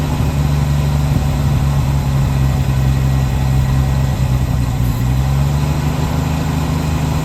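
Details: 1966 Chevrolet C10 shortbed farm truck, last licensed 1979, first start after long storage: the inline six idles smoothly on its own with a steady, even low rumble and no misses or knocks. Normal idle.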